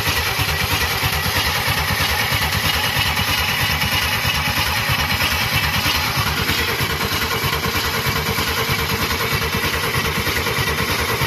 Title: ingnition problem won't start.. after rebuilt the head 235ci inline 6